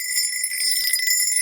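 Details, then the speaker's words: Metal object rubbed over a tile known to be good: bright high-pitched scraping ring with no hollow drummy sound; solid, well-bonded tile. "so that's that's a good tile there's nothing wrong with that"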